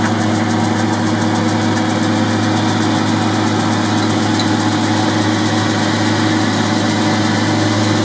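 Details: Boxford lathe cabinet-mounted drive unit after replacing pulley spindle bearings and drive belt, running at high speed with a new belt: steady even hum, constant low note, no knocks or grinding; normal.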